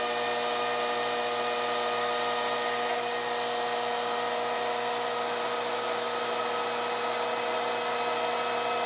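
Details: 1986 Carver PM-350 power amplifier after repairs, with added air ducting and a 12 V fan controller: fan ramping up to high speed, steady airy rush with a fixed tone on top, even and unchanging; normal healthy cooling fan.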